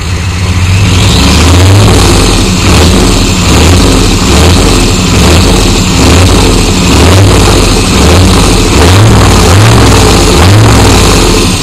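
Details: 1993 Chevy dually 6.5L turbo diesel 4x4, smoky startup without block heater, repeated revs: loud clatter rising and falling with a heavy knock on top that follows engine speed; engine knock of undetermined cause.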